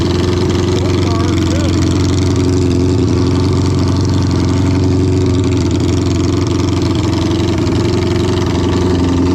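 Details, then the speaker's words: 1972 Honda 500 Four, cold, run statically after a carb and fuel fix and resoldered connectors: an uneven idle skipping about four times a second with one cylinder missing. Misfire from a gas-fouled spark plug; a new plug fixed it. "And I had another new spark plug and I put it in and that took care of the miss. So I think these plugs just got fouled from being slow so loaded up from all that raw gas running through it."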